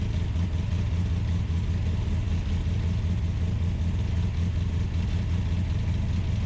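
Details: American V8 in an Ultima GTR supercar, started on a jumper pack to check warm-up: steady, even burble held at a fast idle rather than a relaxed tickover; idling high, temperature gauge not reading properly.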